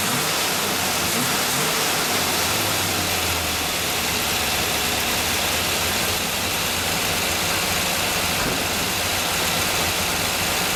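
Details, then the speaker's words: Steady idle after exhaust reassembled with two gaskets and heat riser patched; softer hiss, no sharp ticking, faint hiss remains since the leak can't be completely eliminated. "Sounds a lot better." "oh boy that sounds a lot better"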